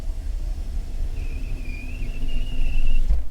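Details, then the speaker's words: Peugeot 406 Coupe: thin high squeak while power window glass travels, low rumble beneath, vibration felt; power window squeak. "so let's test the window you can probably hear the squeak"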